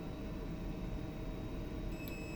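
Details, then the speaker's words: DIY speaker start delay relay driven through a transistor. A low hum, then after about 2 seconds a clear high beep holds as the relay closes. Wired directly it switches instantly; through the transistor it is delayed. "Kalau sambung terus, dia terus ada keterusan. Kalau sambung melalui transistor, dia akan delay beberapa saat"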